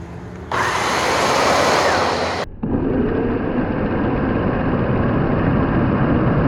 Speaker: they they kind of spin independently i'm not so sure that's a good thing i wonder if something's broken